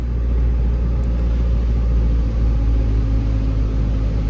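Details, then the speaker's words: 2006 Saab 9-3 TiD diesel, 16 years old, after replacing the middle exhaust pipe and rear silencer (old one fell off): deep, even rumble while driving, no high drone at lower rpm or rattles; exhaust sounds normal, though turbo more audible than before. "so i can't really hear any more noise than normal or like very like high"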